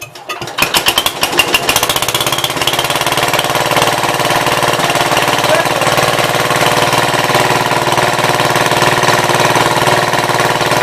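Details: 1966 Gravely C10 single-cylinder on a temporary battery ignition coil replacing the failing old coil (shut off by pulling the wire): catches and settles into steady even idle about three firing pulses a second; runs smoothly.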